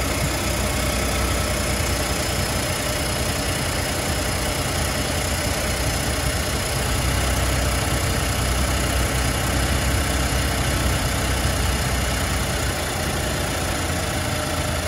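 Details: 2020 F150 3.5L Ecoboost, 33k miles, cold start at 71°F, left turbo replaced for wastegate rattle and now clean: busy uneven idle with faint irregular rattle that cleans up later; owner suspects cam phaser rattle, unconfirmed.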